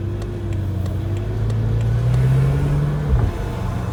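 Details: BMW F10 M5 when cold: low whine climbs in pitch, holds, then drops away, from the gearbox, caused by cold gearbox oil being pushed through the filter.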